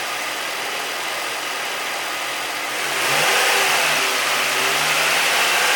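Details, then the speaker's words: 2008 Nissan 350Z, HR engine, after replacing all six spark plugs: even idle, then a clean rev that rises smoothly and settles back, no misfire, stumble or knock; running healthy. "all right so it's running sounds like it's pretty good"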